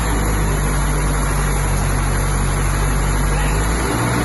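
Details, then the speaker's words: Mk2 Ford Capri 2.0 GT Pinto engine first started after many years unused, new distributor fitted, still on old oil; steady, even low idle with no knocks, ticks or stumbles, only unchoke smoke, no blue smoke: normal idle. "R ladies and gentlemen that's the pinto that's why these engines were the best things ever made"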